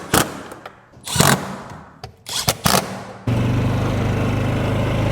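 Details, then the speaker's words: 2008 Polaris Ranger 500 UTV after being driven to clear it out; it still needs rear axles and bushings. A few clunks and knocks, then a steady, even engine drone with no misses and no smoke. Running normally. "So it's actually running pretty good. We don't have any smoke back there."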